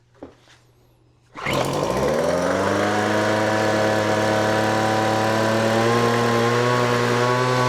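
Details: Weed Eater FB25 25cc two-stroke blower after fuel line, primer bulb and spark plug work: starts on full choke, then on half choke revs climb to a steady, clean buzz. Healthy.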